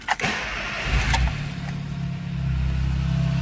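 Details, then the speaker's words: 2002 VW Gol 1.0 8-valve at idle after cranking: steady low pulsing knock from the bottom end. Mechanic suspects a spun rod bearing (bronzina) judging by the noise intensity; the engine was then removed for teardown. "é mais um motorzinho rajando batendo parte de baixo agora não igualzinho o famoso até mil né 1.0 8 válvulas um golzinho spashion 2002 pelo e pela intensidade do barulho me parece ter virado bronzina né"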